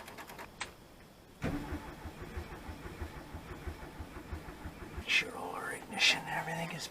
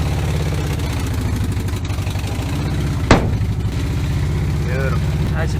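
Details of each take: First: 1970 VW bay window bus, sitting about 10 years, float bowl primed, accelerator pump unknown: slow uneven starter grinding at about one turn per second with no firing; cranks but no start. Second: 1970 VW T2 Bay Window Bus, air-cooled, first run after sitting 10 years: a low, steady, even thrumming with a regular beat and no knocks or misses. The engine runs on its own.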